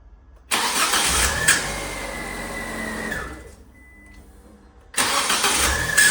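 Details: Fiat 500 starting with a high, thin squeal over the engine, caused by the starter motor's Bendix drive sticking slightly during cranking; fixed by lubricating or replacing the Bendix, after which the squeak disappears.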